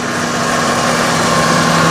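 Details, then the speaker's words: 1995 Ford F-250 4x4 after an R-134a AC recharge of two cans, with the low-pressure cutout bypass removed. Steady, even compressor hum. Normal AC compressor operation. "compressor attorney with uh without the bypass that I have on the uh low pressure cutout switch so it's operating normally"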